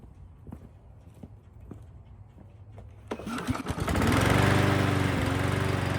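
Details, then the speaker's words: Huskee mower after carburetor replacement and new brake cable, no choke or on-off switch: light ticking, then the engine catches at about three seconds and settles into a steady, even run; normal running. "Cool, everything works great."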